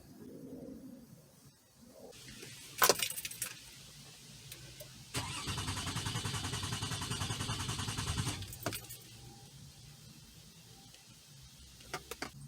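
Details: 2004 Toyota Sienna 3.3 L: after keys rattle, starter spins the engine steadily about three seconds but it never catches; crank no start.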